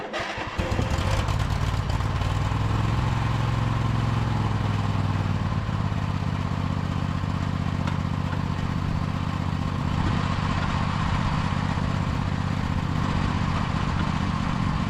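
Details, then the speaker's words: 2003 John Deere L120 hydrostatic mower, Briggs 20 hp V-twin, mowing after repairs and deck leveling: steady low drone holding even pitch under load, deck quiet, no knocking, squealing or grinding; running good. "all right well I think that's going to do it for this machine we uh had quite a bit of work on it but now the deck is nice and quiet it's driving nice and smooth it's running good"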